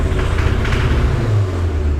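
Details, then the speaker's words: Nissan Hardbody with suspected rod knock, deep exhaust held near 3,000 rpm stumbling and choking unevenly; air-fuel reading swings from very lean to very rich. "That was super rich. Hella rich, dude. Oh. Yeah, that's at like 3,000 RPM. Yeah, it's hella rich, dude."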